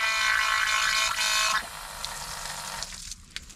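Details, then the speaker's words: Cheap dump truck being revived, electric fuel pump wired directly to power: steady high electric buzz for about a second and a half, then cuts off, with good fuel flow; pump running normally. "yeah we're getting good flow there"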